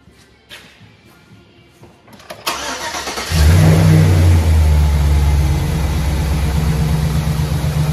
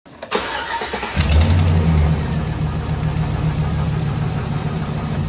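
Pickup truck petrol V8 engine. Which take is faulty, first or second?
second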